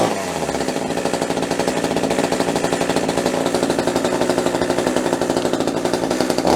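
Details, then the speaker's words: Budget top-handle chainsaw with Oregon bar and chain, just started via primer bulb and start throttle lock, trigger untouched; small two-stroke holds a high, fast, rapidly pulsing buzz with the chain brake on until the trigger is blipped. "There's a mechanism in here which basically is applying throttle, and you'll see what I mean in a minute. So you'll hear it running on hard. The brake's on, so it can't actually run on, but you'll see what I mean."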